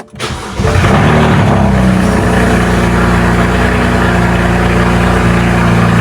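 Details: BMW with N54 engine, first start after walnut-blast intake valve cleaning and new gapped spark plugs, hasn't run in a while: short crank, catches within a second, settles into steady even idle, no misfire or stumble; normal start and idle.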